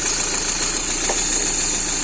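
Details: VAZ Priora engine after valve stem seal replacement and hydraulic lifter flushing: steady idle under a loud hiss with light, fast top-end tapping, because the hydraulic lifters have not yet pumped up with oil; it initially ran with misfires.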